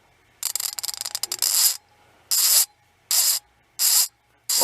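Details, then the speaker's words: Ratchet ball screwdriver with broken internals (two of four prongs missing): fast clicks giving way to harsh rasping bursts about once a second, vibration felt in the handle, like the ratchet slipping/stripping. "like something's stripping out. And I can feel it vibrating in there."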